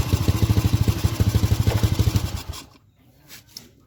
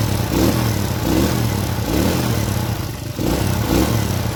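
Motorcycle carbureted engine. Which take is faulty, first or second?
first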